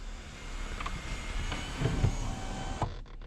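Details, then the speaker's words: Sunroof reset: with sunroof and curtain closed, front sunroof button held ~10 s until a click, then pressed forward within 3 s; sunroof opens and closes automatically: even low motor hum with light rattles, clean stop as glass seats, normal. "그러면 자동으로 썬루프가 열렸다가 다시 봤을 겁니다 예 자동으로 열리죠 이게 다 들 때까지 손을 떼 지면 안 됩니다"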